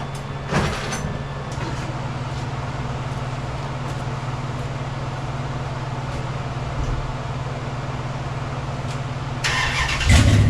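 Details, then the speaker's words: 2004 Dodge Ram 1500 after a replacement exhaust, using parts from a 2003, was welded in (pipes still to finish): steady idle burble, slight rev rise near the end, no rattles or leak puffing from the new exhaust. "I got it all welded in. We about to see what it sounds like, y'all."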